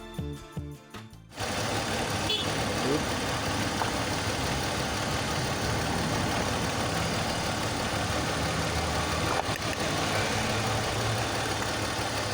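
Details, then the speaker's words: BMW X3 with M54 inline-six, idling with a cylinder 2 misfire; pulling coil 2 had no effect, so it was not firing, and a swap to cylinder 1 is planned to confirm the coil. Idle lopes unevenly, stumbling about three times a second. "As you saw, when we pulled up the ignition coil of cylinder number 2, there was no effect on the engine performance, so it was not firing."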